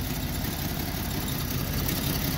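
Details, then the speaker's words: Free Jeep six-cylinder with a new distributor and new plugs: idle has a slightly uneven, shaky beat with a faint stumble, and the temperature gun shows the first exhaust runner reading low, so one cylinder is not firing cleanly. "so it seems like it's not firing on all on all six perfectly yet but i did put a new distributor on it these are all new plugs"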